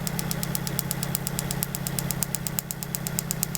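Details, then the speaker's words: 1995 Mitsubishi Libero 4G15 with new distributor cap, spark tester stepped from 20 toward 30 kV: sharp, crisp snaps about three a second over a steady idle. The spark is strong between 20 and 30 kV and trips out near 40 kV. "That means, you know, it exceeds its gap, right? But it definitely give me a strong, you know, voltage between 20 to 30."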